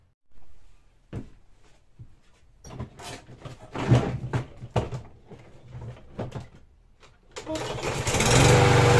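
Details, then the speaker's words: Troy-Bilt TB110 push mower with Briggs & Stratton 550EX 140cc OHV engine, hard-start fixed by valve adjustment, fresh gas: pull-cord clunks and rattles, then it catches and runs steadily; starting and running normally. "all right guys we're good to go that's all there is to it a valve adjustment on these things is super easy"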